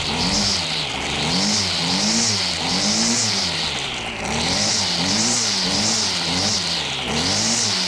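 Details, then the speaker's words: Two-stroke chainsaw running on last year's gas: revs rise and fall unevenly, pitch sagging and surging about every second and a half; rough running, cause not confirmed. "better put my hearing protections on this didn't sound too good"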